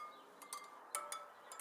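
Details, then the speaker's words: Tapping Suzuki DR650 spokes: most give light, high metallic pings, but one rings duller and lower, a "punk" rather than a high-pitched ping, marking it as loose; it gets tightened a little. "it still makes a pinging sound but it's not quite you know it's not quite as spinny as those on high-pitched the higher the pitches see this you see that's kind of the punk"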